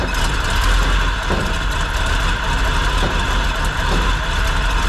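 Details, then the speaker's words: Freshly revived 454 big-block Chevy in a 1957 Chevy Sedan Delivery on a 4x4 Chevy truck frame (SM465, NP205), first start after new fuel filter: deep, steady idle with no misses; gear drive audibly noisy, no coolant or fuel leaks; normal idle. "okay it ran pretty well it idles seems like the accelerator pump's working I don't see any coolant leaks no fuel leaks you can definitely hear the Gear Drive making noise"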